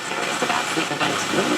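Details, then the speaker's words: Harman Kardon HK350i receiver FM tuner on a weak station: steady static hiss swamping the programme, then signal blinks out; noise at centre of tuning; owner suspects a muting problem. AM works well. "See? And then it blinks out. So maybe that's a muting problem."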